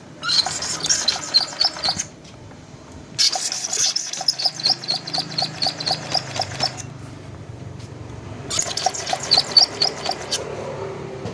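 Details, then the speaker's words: Honda Vario 125 (old model) scooter that won't start, spark present: sharp metallic "cik cik" tick about four a second while cranking, heard at CVT side; leaking water pump seal let radiator coolant into engine oil. "Tapi untuk suara mesinnya ini seperti ini ya. Cik cik cik cik."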